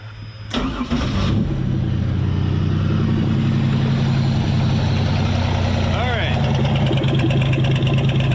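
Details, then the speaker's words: Pontiac Fiero race car with new plugs, wires and coils: cranks, catches, then idles lumpy and stumbling with a nasty misfire on one exhaust side; stethoscope traced it to a dead fuel injector, replacement ordered. "you can hear a really nasty misfire out of here this one sounds all right this one is horrible"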